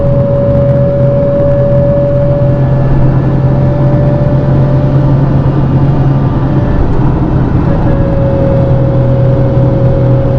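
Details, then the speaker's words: Nissan 350Z with a welded differential, driving at 50 mph: a steady mid-pitch whine over road noise, gone off throttle and back as soon as throttle is applied, persisting after a fluid change; drivetrain whine under throttle, diff suspected. "the gist of it is is I'm off the throttle completely right now and I can't even hear it but then as soon as I get on the throttle"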